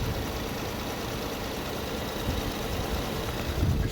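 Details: 2011 Infiniti G37 idling in Drive at 500 rpm (650 in Park): low deep idle with uneven pulse and small surges, felt in the cabin.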